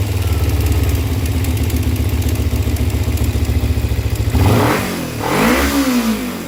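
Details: Kawasaki Ninja 250 idling rapid and lumpy with a light clatter on each beat before a couple of throttle blips; ticking noise at idle, cause unknown.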